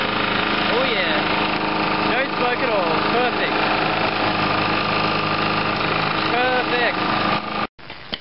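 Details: Small two-stroke hedge trimmer after fresh fuel and removing overfilled oil thought to have caused smoking: steady high idle buzz, even and unbroken, then cut off; running cleanly.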